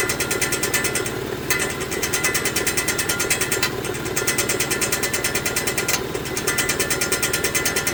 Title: 2018 Mitsubishi Mirage GS making noises